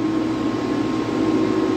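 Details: Air-cooled dual 2.7 GHz Power Mac G5 with possibly still-wet CPU and suspected logic board fault: loud steady rushing roar with constant low hum, no rise or fall; cooling fans stuck at full speed. Cause suspected, not confirmed.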